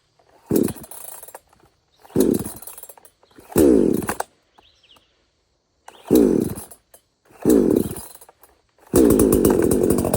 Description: Its still starting easy and running strong